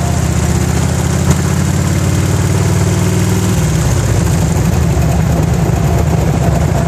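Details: 1991 Harley-Davidson Electra Glide V-twin: light, fast tick over the rumble, seemingly absent when cold, worsening as engine warms and louder at higher rpm, mainly on freeway; owner unsure if pinging, knocking or valve noise.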